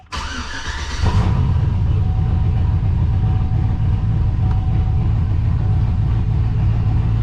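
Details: GMC Sierra 5.3 LS V8 (stated as 2005 or 2006) on its first startup after a suspected broken lifter was fixed with a BTR Truck Norris cam and LS7 lifters, no muffler: catches quickly into a loud, steady, deep rumble, even beat, no ticking; healthy.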